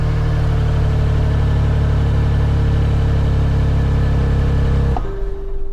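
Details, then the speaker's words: Kia Stinger, damage underneath, at auction: catches and runs at a steady fast idle with a coarse raspy edge for five seconds, then shut off; exhaust leak underneath suspected, not confirmed. "Yeah, that didn't sound particularly good, did it? Yeah, no, it sounds like an exhaust leak from underneath the car."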